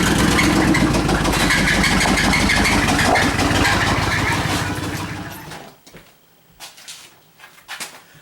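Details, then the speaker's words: Suburban engine that knocks and squeaks, after new plug wires, plugs, rotor, cap, cleaned EGR valve and new power booster: a regular knock at about four per second rides over the running engine until shutoff; source still unknown. "we have this problem with the Suburban that uh it knocks and squeaks out of the way Emma so we're going to take a look at it"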